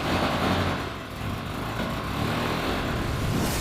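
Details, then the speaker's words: Ferrari 360 Spider V8 with new battery, engine oil milky like chocolate milk from moisture, exhaust briefly refitted: lumpy uneven idle instead of smooth burble; rough idle. "In this episode, we're going to investigate what's causing our rough idle."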